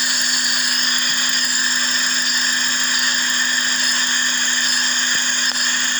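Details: Suzuki Swift with rough idle, occasional misfire and high lean condition (short-term fuel trim around 20%) but no DTCs; constant airy hiss over steady low hum at the EVAP purge valve, which draws air when it should seal, so it is stuck open.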